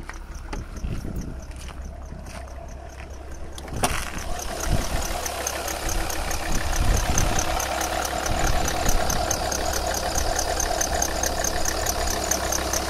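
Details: Chirping at idle on a 2001 Alfa Romeo 156 2.4 JTD diesel: quick high bird-like chirp about twice a second, heard below ~1100 and above 1600 rpm; cambelt ruled out, aux belt renewed except worn crank damper pulley; owner suspects aux belt.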